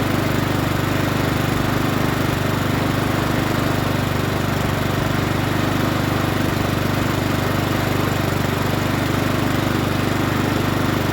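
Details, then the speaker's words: Honda GCV160 engine on a Troy-Bilt TB130 21-inch push mower bought as a non-starter, started after checking the dipstick, old oil to be drained; a smooth, steady single-cylinder beat at constant speed with no misses or surging, sounding pretty good. "don't sound too bad let's start it up again sounds pretty good now"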